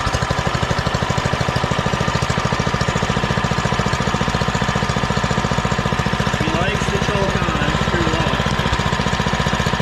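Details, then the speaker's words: Doodle Bug DB30 minibike after fitting a new carburetor and adjusting the carb screw: quick, even single-cylinder putter with steady pulses, no misses, stumbles or surging, running clean and way better than before. "she's running way better than before holy boys we're screwing"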